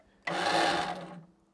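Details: Old Snapper riding mower, choke on: about a second of high starter whirring with no firing, cranks but won't start. Rainwater was later found trapped inside.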